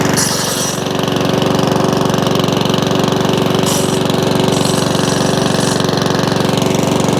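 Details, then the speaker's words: Mountfield 414/416 mower salvaged from the tip, non-runner, first start after cleaning the carburettor: even, fast chuffing at constant speed, no hunting or surging; some oil from exhaust since it had been tipped up. "you hear it not hunting that's good that didn't skimp on the carpet clean now it needs a good run now because um it's been tipped up"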